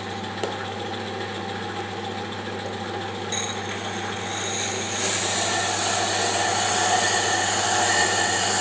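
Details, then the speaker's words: Diamond grinding wheel on a D-bit/single-lip cutter grinder being dressed against an oil stone with kerosene: steady, even hiss of continuous cutting with no intermittent interruption, the wheel now running true after initially cutting intermittently. "you can hear it not cutting intermittently now it's already running true"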